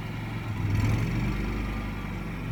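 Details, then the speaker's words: Yamaha generator with NPS eco kit as one air conditioner's compressor comes on, about 55 to 58 dB: steady even drone firming up slightly, no knocks or hunting; generator running healthy under load. "There you hear the compressor come on. So according to the decibel meter, that put it up around 58 dB from 55."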